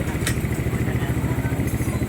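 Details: Motorcycle engine after cylinder head refresh with nearly all head internals replaced except valves: even quick thumping idle, no ticking or top-end clatter, sounds quiet and solid.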